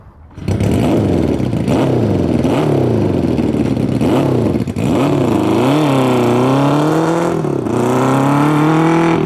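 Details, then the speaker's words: 1972 Honda CB350F bored to 400cc, two 24mm flat-slide carbs with unknown jetting on PVC intake manifolds, after 20+ years sitting: revs surge and sag through repeated blips, never pulling cleanly; runs very poorly, cause suspected, not confirmed. "So obviously it's running very poorly. It's two 24 mil flat slide carburetors with unknown jetting going through PVC intake manifolds, and that's on top of all the other problems it may have from all the years of sitting."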